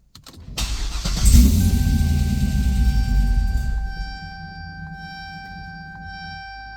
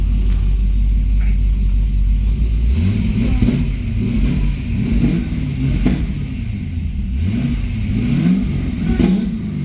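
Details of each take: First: Supercharged Corvette C6, first start after the fuel system was completed: it cranks, catches and roars briefly at high idle, then dies after a few seconds. The owner suspects the MAP sensor. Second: Supercharged C6 Corvette on the lift, just started after build, fuel pressure about 52–56: deep V8 idle rising into several smooth revs and falling back, steady and even, no knocks or rattles; healthy free rev.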